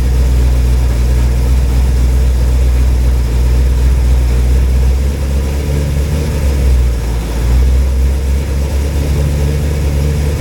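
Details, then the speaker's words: Cold engine at about 40°F, run briefly with no water pump after a wiped flat-tappet cam lobe, oil pressure confirmed; deep even steady idle rumble, no ticking or knocking, runs as expected. "well it runs it sounds good it ain't clacking it ain't knocking it's idling you know as you expect the cold engine"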